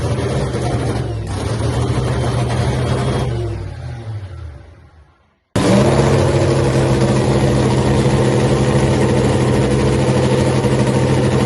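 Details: Hemi Cuda funny car, first fire-up after an ignition problem on the first try: stumbles and dies, then fires hard and settles into a loud, steady, lumpy idle with even firing; normal.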